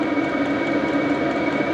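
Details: HCalory diesel air heater in a tool box, heating: steady, even roar of fan and burner with a faint constant whine, no surging or sputtering. Normal running.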